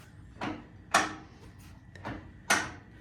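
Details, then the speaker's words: Willys Jeep front differential locker, axle jacked up, wheel turned by hand, no gear oil yet: a handful of sharp, uneven clicks as the ratchets drop in; locker working normally, louder without oil. "that means it's working well front lockers working it won't make that noise as loud when there's a gear oil in there"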